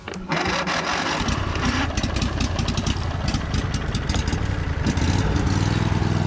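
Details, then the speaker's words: Replacement Briggs engine for Husqvarna Z246 zero-turn mower, test run on old fuel pump: small single engine catches quickly and runs steadily with occasional sharp pops; running slightly lean. "it runs really good considering but it is just slightly lean you hear it popping there every so often"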